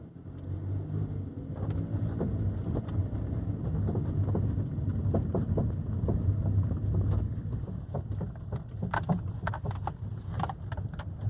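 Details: 2012 Kia driving over bumps: irregular sharp rattles and clunks, possibly right front, maybe some grinding, long-standing; no thunks on tight turns, only driving straight; dealer visit didn't pin it down.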